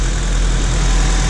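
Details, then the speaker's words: Small Honda Civic idling with hood up after an oil leak repair, checked for leaks with none found; smooth even low hum with no knocks, ticks or hunting. Normal idle. "But it is running, it sounds good, and hopefully there's no more oil leaks."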